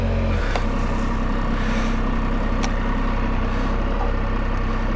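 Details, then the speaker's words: Can-Am Spyder idling after a cold start at about 22 degrees in winter, owner worried it wouldn't start: steady, even low rumble with no knocks or misses; healthy smooth idle. "That's why I was worried about the Spyder and whether or not it would start. It did. I'm going to get on, start it up, and then we'll talk."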